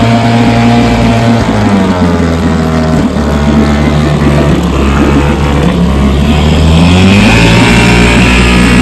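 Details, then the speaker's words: Vintage 3 hp two-stroke outboard runs with an uneven, stumbling beat as one side's spark cuts in and out; intermittent misfire, owner suspects dirty ignition points with factory film and plans to take it apart and clean them. "So, I don't know if you could tell, but it's got a little bit of mist to it. It's like one of the spark one side is jumping in and out. So, I'm going to uh I'm going to take it apart and clean the points. That's normally a sign of dirty points."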